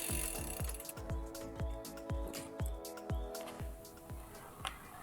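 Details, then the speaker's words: Scott Spark mountain bike with SRAM GX drivetrain after a very muddy race, derailleur not shifting down: crank turned by hand gives gritty, uneven clicking about twice a second with a metallic ring; drivetrain rough, dirty guide pulley found. "Ooh, doesn't sound right."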